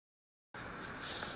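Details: Electrolux 280 vacuum cleaner after lubricating the motor to cure a whining noise: steady, even rushing hum with no whine or rattle; motor spinning smoothly and healthily, repair apparently successful.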